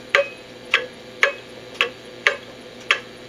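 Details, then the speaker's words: Antique cuckoo clock, before repair, tilted then brought back to center, numbers still off: sharp ticks about once a second, alternating long and short gaps; out of beat regardless of tilt, from worn bushings and escape wheel problems. "and start to hear an audible difference clearly out of beat if I bring it back to that Center the best spot that I can get in terms of sound and numbers the numbers are still off"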